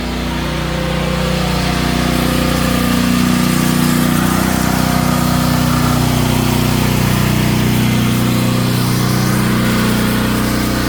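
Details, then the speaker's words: Natural-gas home generator running under load after house power is switched over to it: steady even drone with firm low beat around four per second, holding speed smoothly; runs healthy. "And you can hear the generator just cut on. All right, awesome."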